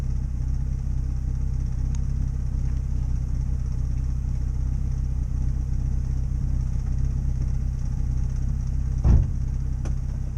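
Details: 2005 Nissan 350Z VQ35DE V6 on stock exhaust idling with a deep puffing rumble, about four pulses a second, then a quick rev: a big exhaust leak.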